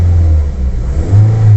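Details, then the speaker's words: Toyota Vios/Limo with replacement Avanza AC magnetic clutch fitted, engine revved with AC off: smooth deep even drone rising on blips, no scraping or rubbing; clutch gap correct, normal. "kalau kita gas-gas dia tetap gak ada gesekan gak ada suara bunyi ya itu aman"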